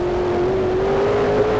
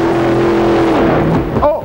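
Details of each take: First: let's take a look at this run right from the start truck hooks good sounds Second: Super modified pulling truck at the end of a pull after a shift: loud engine running hard, then dropping off with a couple of sharp pops; two backfires from the left bank, suspected to have leaned out.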